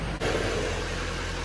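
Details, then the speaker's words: 2011-16 Duramax LML diesel truck idling on the hoist after installing an AirDog lift pump, started after one prime cycle; even, low diesel idle rumble with no whine or buzz from the very quiet pump; normal idle. "Really quiet too. I like how quiet that pump is."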